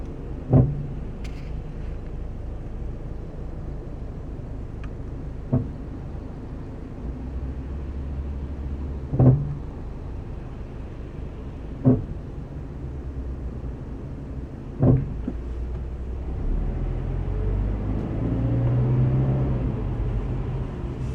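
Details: FRS gives five short creaking chirps over low engine rumble as the brakes are gently eased on and off at a light. The brake squeak/creak has been heard since the owner got the car and has grown worse in winter.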